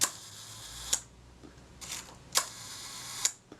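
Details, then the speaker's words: Kodak Retina IIa shutter fired at the 1/10 s slow speed after reassembly: crisp click, short even escapement buzz and clean closing click with no hesitancy; smooth, normal operation. "The main thing, particularly with the slow speeds, is that there shouldn't be any hesitancy. It should sound smooth."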